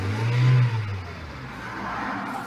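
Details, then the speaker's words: Hyundai i30 1.4 petrol with crank-no-start immobilizer fault, after unlocking Kefico Bosch M7.9.8 ECU (immo off): engine catches, revs up strongly, then runs smooth and even with no misfire or knock; normal start. "πάμε να το βάλουμε μπρος στο αυτοκίνητο τώρα δεν έχει φαίνεται καθόλου μονάδα immobilizer όπως πριν που φαίνονταν ι αυτό είχε το πρόβλημα και πήρε μπρος"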